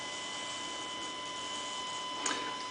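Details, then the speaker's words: Fischertechnik robotic arm pivot motor, powered directly from the interface: a thin steady high whine with two or three tones comes from the small gear motor. "but the high whining comes still comes from this motor but in this in this case let's see if it works"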